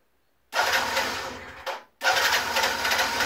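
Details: Generic Explorer Race GT 50 Chinese two-stroke scooter that wouldn't start, after basic repairs with the carb pre-flooded with petrol: short electric-start whirr, it catches, stumbles once, then settles into an even buzzing idle.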